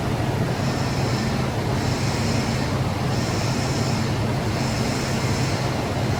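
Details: 2013 Nissan Armada in for a power steering leak with no assist, fluid freshly topped up at the reservoir. Engine idles with a faint whine and hiss from the pump that eases as it runs: air purging from the fluid.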